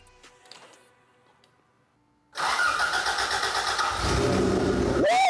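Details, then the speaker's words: 1986 Toyota Corolla AE86 GTS after weeks of failing to start, mass airflow connector disconnected: silence, then it cranks, catches after two seconds and settles into a steady, even run with a quick blip; first sustained run, normal idle. "woo ah this thing is alive ladies and gentlemen and it's purring so beautifully check it out"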